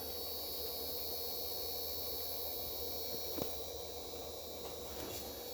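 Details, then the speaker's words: Late-1980s (circa 1987–88) Samsung VT7253CC mono VCR with three motors (head loading, capstan, idler for the spools): steady, even whir of tape winding in fast forward and rewind, no drag or chatter; normal winding. "fast forward and rewind and everything in here seems to be working wonderfully"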